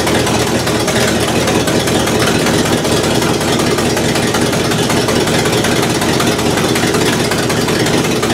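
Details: 1968 Buick LeSabre at steady idle after engine repair, previously abandoned with no oil pressure and leaking head gaskets; valve cover off, oil pressure good, head gaskets holding, temperature stable around 190°; even idle, no knocks or misses, healthy.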